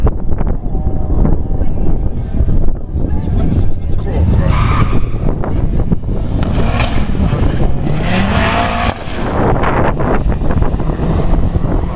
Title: B204 stage 5 vectra b bad misfire